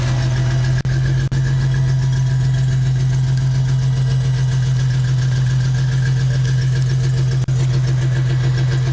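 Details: A Ford Mustang has a heavy low idle that stumbles unevenly every few beats with occasional dropouts: a random misfire (P0300). It was traced to an intake manifold vacuum hose that was not attached correctly, alongside faulty aftermarket ignition coil, wires and plugs, and shorted O2 sensors.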